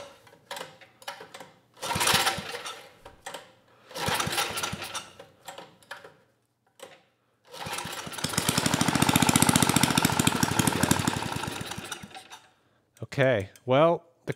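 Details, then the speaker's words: 1980s Troy-Bilt Junior tiller, 3 hp Tecumseh HS35 engine, main jet opened one turn: short coughing bursts, a few uneven seconds then dies, carb barely working from water in it; governor did close the throttle plate. "not working too well anymore but the governor did close that throttle plate"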